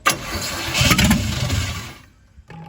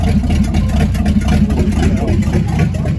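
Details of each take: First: C50 project truck, first start with a little gas poured in and no gas pedal hooked up, kids cranking: short crank, then it catches and settles into an even idle. Normal start, with some smoke from one side, possibly rings needing to seal. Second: Chevrolet C50 truck's first start attempt, gas pedal not yet hooked up: the starter turns the engine over in a steady low chug, about four beats a second, but it never fires; oil pressure didn't come up, and the owner suspects it's out of gas.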